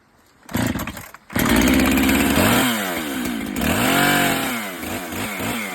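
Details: Husqvarna landing chainsaw after chain tensioning: starts, holds high steady buzz, revs up and down cleanly with no rattle or slap; normal running.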